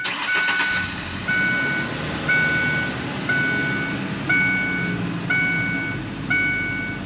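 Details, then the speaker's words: 2002–2011 Ford Ranger petrol engine idling steadily and smoothly after fixing an intermittent misfire with a new OEM-updated coil pack, cross-referenced spark plugs and WR6059 wires; a two-tone warning chime sounds once a second. "so it's running pretty good now i'm gonna take it for right around the block and see what we got"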